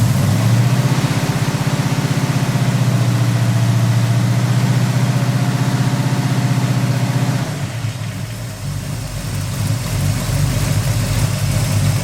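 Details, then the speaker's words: Firebird started with no choke: deep, lumpy idle pulsing about four times a second and unsteady, easing off; owner says it clears out once warm but still runs rough; rough idle. "here hear that little burble here no choke apparently yeah she there it clears out once it warms up"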